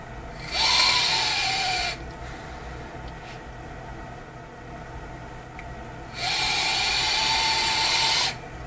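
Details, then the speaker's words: SMOK TFV12 Cloud Beast King tank with dual-core shotgun coil at 101 watts: two long draws give loud airy hiss with thin whistling buzz from the airflow, even without vaporizing; airflow buzzing. "now you might be hearing the airflow kind of like buzzing a little bit it's kind of making a bit of a strange noise"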